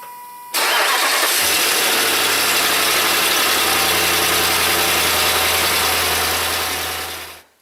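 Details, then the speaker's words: Volvo V8, started right after a spark plug change to check it: cranks briefly, catches cleanly and settles into a steady, even idle with no misses or ticks; running smooth. "Well, you want to start it up, make sure it's running smooth."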